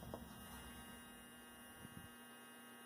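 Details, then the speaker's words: Athearn Blue Box F45 model locomotive, 280 motor being fitted in place of the FF-180, on bench clips after the bearings were oiled with two dots: low, steady hum with no rattle or squeal. Current draw dropped slightly and it runs quieter than before. "But it's quiet. Quieter than it was. That's proper maintenance on a motor now."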